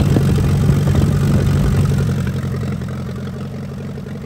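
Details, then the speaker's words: 1945 Allis-Chalmers WD 4-cylinder gas tractor, sat for years, after clearing a rust-filled fuel line: even low-pitched chug that slowly fades as the engine settles, firing regularly and running normally. "it runs [Music] we had it running good"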